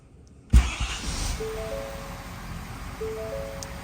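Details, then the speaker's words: 2023 Ford F350 6.7 Powerstroke diesel starting right after a fuel filter change, with the key cycled 2-3 times to prime the fuel pump: brief crank, catches at once, then settles to a quiet steady idle with no stumbling. "Starts up every time."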